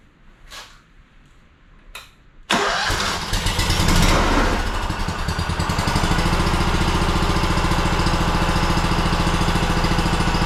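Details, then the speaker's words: Honda two-cylinder engine that sat 10 years, repaired (stuck governor freed) and with the top reassembled, final start: faint clicks, then it fires right up into a smooth, regular idle. A healthy start. "well there you go fired right up sitting 10 years no big deal it's a honda"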